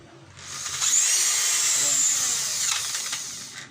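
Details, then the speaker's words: DCA mini hand drill, owner reports noise inside; high whiny motor note wavering and sagging, easily stalled when held under light load, rough internal noise; gear problem suspected. "napipigil. Pinapandar natin pero napipigilan natin."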